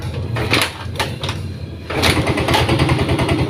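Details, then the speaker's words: Yamaha Mio M3 scooter with a weak battery, at idle after start: rough, uneven clattering rattle, harshest at idle and when first opening the throttle; CVT rattle from a pulley slipping on a worn splined boss. "tapi cenderung lebih kerasnya itu Posisi lagi Tensioner ya posisi langsam itu suara suaranya cenderung lebih Kasar banget apalagi kalau mulai baru mau gas KK gitu"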